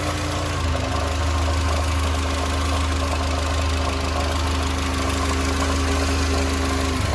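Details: SsangYong Kyron 2.3 petrol, 69,000 km, idling: rhythmic knock about three per second, felt at the thermostat and sounding like the timing chain; water pump replacement didn't cure it; traced to a loose belt tensioner damper mount; belt tensioner damper knock.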